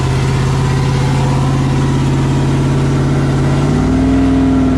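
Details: Freshly rebuilt 5.3 V8 with Texas Speed 224r cam, untuned so it won't idle, held near 2500 rpm for break-in until operating temperature: smooth fast idle stepping cleanly up in pitch, no knock or tick; healthy.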